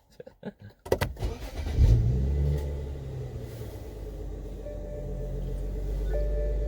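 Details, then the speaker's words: 2011 BMW 335i xDrive (N55) started right after replacing the engine belts and pulleys, done because the old belts squeaked in cold weather. It cranks, fires, revs briefly and settles into a smooth idle with no rattle. "sounds good there's no rattle let's take a look oh good there's no rattling as you could hear"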